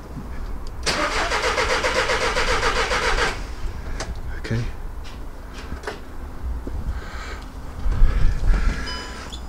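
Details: VW Caddy diesel van cranked after battery refit and fuel system priming: starter churns in an even rhythm for a couple of seconds and never catches; crank no-start, cause not yet confirmed.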